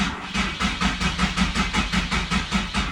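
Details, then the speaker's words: Nissan 370Z after gallery gasket replacement: cranking with fuel pump fuse out and fuel lines disconnected to prime oil, on a very dead battery; steady starter churn with even compression beats about five per second, no firing. "I am trying to crank it over, actually, so I don't have the fuel pump fuse in or the fuel lines connected. Crank it over a little bit."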